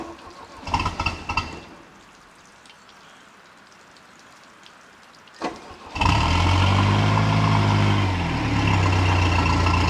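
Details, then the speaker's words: 1967 StarCraft Holiday boat's four-cylinder sterndrive engine, first start of the season after winterization: a few dull cranks, then it catches and settles into a steady, even, gurgly low idle with no knocks or misses; healthy. "yeah I love the sound of these little four-cylinders especially the gurgly thing through the exhaust how it works"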